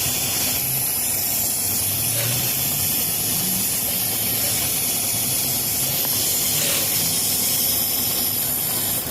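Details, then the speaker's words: 2014 Ford F-350 that won't start or misfires after refueling, engine idling: steady airy hiss that never lets up as vacuum pulls through the EVAP purge valve stuck open; vacuum leak, valve needs replacing. "si sientes cuando le pones aquí lewis sientes la succión que lo está jalando esta válvula ya no sirve se queda abierta"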